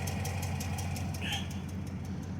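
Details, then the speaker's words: Dodge SRT8 at idle, heard from underneath the vehicle: sharp even ticking about seven per second over steady rumble, not the engine or lifters but exhaust after faulty exhaust work; exhaust leak tick. "but like i said that that tick is not the motor so um it's the exhaust"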